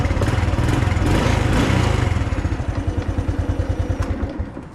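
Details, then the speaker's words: Honda motorcycle after replacing the loud fuel pump motor with an aftermarket one: engine runs smoothly, settling from a blip into even idle pulses with no pump whirring or whining; normal running. "แหมการทำงานเงียบคลิปครับโคโอเค"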